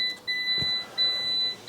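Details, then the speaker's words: Stolen-recovered Cat N Fiat 500 Lounge: key turned, two long high steady beeps with no cranking, lock symbol and airbag failure shown; owner suspects key was programmed out; warning beep, no start. "yeah now we got the lock symbol so it must have been programmed out"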